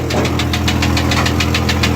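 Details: Scrapyard Chevy Uplander or Jeep Cherokee, one with rod knock and one with blown head gasket: idling engine with loud even metallic knock, about seven blows a second, over rough hum; engine knock at idle, possible rod knock.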